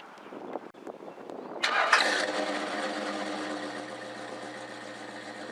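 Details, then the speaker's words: 1978 Chevy pickup after a repair that got it running: brief crank, catches at once and settles into a smooth, even idle with no misses or knocks. Normal start and idle. "now you can see that once this repair was made this truck starts right up and runs beautifully"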